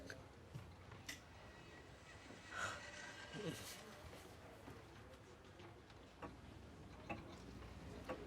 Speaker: Oh god, that brings such lovely memories. It sounds healthy.